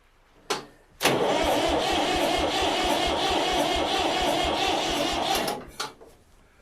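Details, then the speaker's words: Old Massey Ferguson tractor, barn-stored about three to five years, battery just connected; starter turns briskly and evenly, about two beats a second for four seconds, no hesitation, but never fires. "well it's not dead yeah that actually sounds pretty good don't it come on baby"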